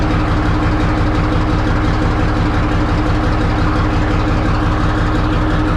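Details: 1963 Diamond T 931-CN cabover semi diesel, first run after sitting one to two years: steady even clatter at idle with constant low beat, no misses or knocks; running healthy.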